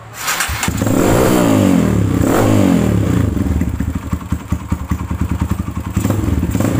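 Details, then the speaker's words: Kawasaki KLX with BRT ignition that would not run due to a dirty, clogged carburetor pilot and main jet, after cleaning and replacing a part: catches quickly, revs cleanly, then settles into an even, steady thumping idle. "ini saya coba ganti ternyata langsung enak hidupnya"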